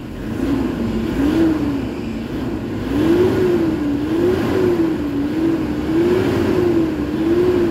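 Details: Toyota Hilux diesel with low engine power, revving after XADO engine treatment. Repeated quick revs, the pitch swinging up promptly with each throttle stab; responsive and healthy, now pulling from about 1,400 rpm versus 3,500 before.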